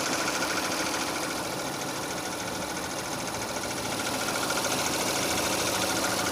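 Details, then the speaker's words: 2006 Renault Scenic 2, K4M 1.6 with automatic, 202,000 km, warming up: steady idle with a regular light knock about three and a half a second from low in the engine, growing clearer as it heats; cause not pinned down. "Звук идет откуда-то снизу. Сейчас все отчетливее будет слышно."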